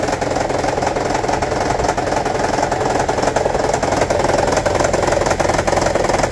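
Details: 2009 Toyota Prius 1.5 hybrid with P0304: uneven, rattly idle stumbling about three times a second; cylinder 4 misfire, not moved by coil swap, shorted spark plug and low cylinder 4 compression found, fixed by replacing spark plugs.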